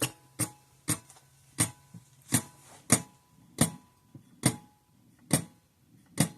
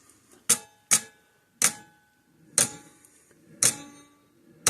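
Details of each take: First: 50+ year old Sears 6V battery electric fence charger after its points were cleaned and blown out. It gives crisp, steady clicks a bit over once per second, pulsing normally. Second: 50+ year old Sears 6V battery electric fence charger with a suspected intermittent switch; sharp, dry, slightly uneven ticks about once a second, firing only while its two contact points are bridged and dying when released.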